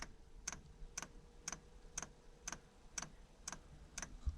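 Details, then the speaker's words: Espar diesel heater in Sprinter van, fire-up after replugging four-pin plug: fan turns, then dosing pump clicks sharply about twice a second over faint fan hum while priming and purging air; normal. "now we're going to wait for that fuel pump to start clicking so anyway we'll wait and see can hear the fan picking up a little bit okay there we go fuel pump's clicking"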